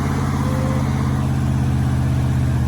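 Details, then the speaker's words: 1972 Chevy 4x4 Holmes wrecker started after sitting 10+ years in a Utah field; deep even low-speed rumble, no knocks or misfires, sounds good as it first rolls out, normal running. "Oh yeah, it sounds good. Can you believe this thing? There it is. Sounds pretty good."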